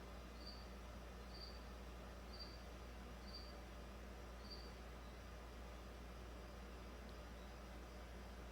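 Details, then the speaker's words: 2009 Toyota Corolla 1.8, after charcoal canister assembly replaced because the failed leak detection pump would not run: low, steady hum with no surging as vacuum climbs to 38 of a 39 target before the vent solenoid opens. "said it i think it said a target vacuum of 39 i'm a negative 39 34 then i would imagine it will seal the system and see if it retains vacuum"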